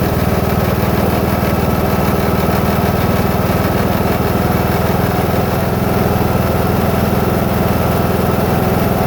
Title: new husqvarna ts 242 grinding sound